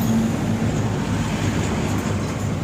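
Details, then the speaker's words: Suzuki NEX scooter, idling with the drive side audible: a steady droning rumble with a coarse, rough undertone. The owner wonders whether the final-drive oil is dry or the clutch is cracked. "เดี๋ยวจะสตาร์ทให้ฟังเสียงว่ามันมีเสียงดังครับอ่านี้เนี่ยมันดังนั้นไม่รู้ว่าน้ำมันเฟืองท้ายแห้งหรือเปล่าไม่รู้คะ"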